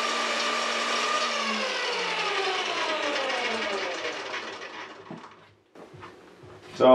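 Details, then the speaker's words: Saw running on cheap triac router speed controller under inductive load: motor whine sags steadily, weak and labouring; controller delivers only half-wave power, at most half even when cranked fully up. "that's interesting you can even hear the saw is struggling and and not running very well"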